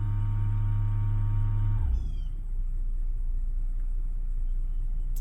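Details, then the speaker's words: 2012 Ford Edge Limited 2WD 3.5L V6 with a sinking brake pedal, final cycle of a scan-tool ABS service bleed before manual bleeding: deep steady motor hum for almost two seconds, then cuts off cleanly; successful, normal ABS pump cycle. "it's successful switch the ignition off after this procedure perform manual bleeding refer to the workshop"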